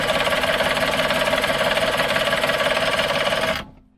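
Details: Suzuki 85 hp outboard, unrun for six years; fast, even starter cranking with steady compression pulses for about three seconds, no firing, then stops. It is fuel-starved and later ran once fuel was put into the cylinders.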